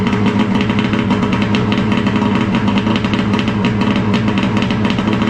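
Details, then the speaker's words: 2011 Arctic Cat Crossfire 800 HO two-stroke snowmobile after a top-end rebuild, cold-started at almost minus 20: catches quickly and settles into a busy, even crackling idle with steady firing pulses; a healthy cold start. "Starts pretty good. It's actually freezing cold here today. We're talking like almost minus 20."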